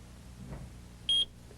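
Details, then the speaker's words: Armed AT&T 9000 home alarm as the door is opened: one short, high-pitched beep from the central controller, signalling 40 seconds to disarm before the alarm sounds. "now when you come home and open the door and the system is armed you'll hear a series of reminder beeps like"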